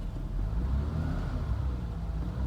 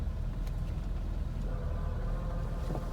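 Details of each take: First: 1991 BMW M-technic II (E30) convertible, 134,590 miles, top closed, idling in neutral with the clutch pedal held down: smooth, even idle with no whir or rattle. The owner's noise appears only when the clutch is released and has not worsened in five years. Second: 1991 BMW M-Technic II (E30) convertible, about 134,590 miles, idling in neutral with top closed: faint hum and rattle appears when clutch is released, pointing at the gearbox; unchanged over five years, shifting unaffected.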